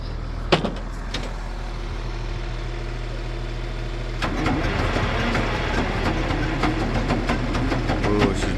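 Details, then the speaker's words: Old excavator, 24-volt system, that died over winter: starter drags over slowly at about two and a half turns a second without firing; batteries too weak to crank, needs boosting. "Do you got enough juice in these batteries to crank it or do we need to boost it? >> I'm hoping I got enough juice."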